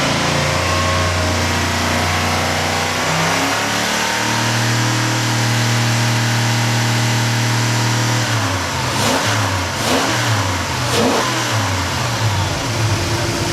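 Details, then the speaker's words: New replacement engine for a Rare Bird ski boat on the Marine Power Engines test stand, revved a couple of times: climbs cleanly through blips and falls back evenly, no misses or knocks; sounds good. Normal revving. "kid in a candy store, I just couldn't resist having to reach around and rev it up a couple times. Oh, she sounds good."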